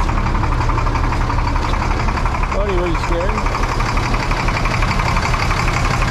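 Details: International 4900 diesel bucket truck just revived after sitting 5 years: loud, steady diesel clatter at an even idle with no misses or hunting, air pressure near 60; engine runs smoothly.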